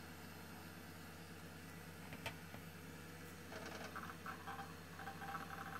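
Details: Old Highscreen Allround retro PC from an eBay classifieds ad, restarted after a reset: even low fan hum with a few clicks, then busy chirping drive seeks; normal boot fan and drive noise, though it then stops partway.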